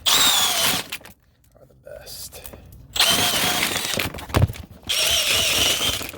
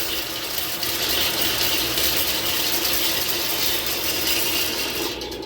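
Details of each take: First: Sewer main backed up again three weeks after snaking, with massive root intrusion in multiple areas: bursts of high whirring motor whine with short pauses as descaling chains chew through roots; all 50 ft of roots cleared and water flowing. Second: Sewer main that backed up again three weeks after snaking, just snaked clear: loud, steady rush of water pouring freely down the line with mechanical rattling in the background; the main now drains, though root intrusion remains.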